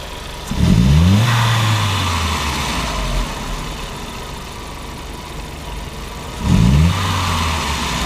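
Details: 1999 VW Passat 1.8T (AEB): snap throttles with MAF reading high, rich condition, fuel trim at -30%, upstream O2 fixed near 900 mV, no fault codes. Two snaps from idle, revs climbing sluggishly then dropping: hesitation pointing to a faulty mass airflow sensor.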